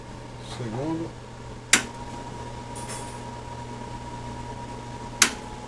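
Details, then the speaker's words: Cadence kitchen range hood extractor fan after cleaning out dirt and repairing a pressure-switch hose; it was noisy and not sucking before. Now a steady clean hum with switch clicks as speeds step up, no scraping. Fan running normally, fixed. "Olha, silêncio total agora. E tá aí, ó, resolvido."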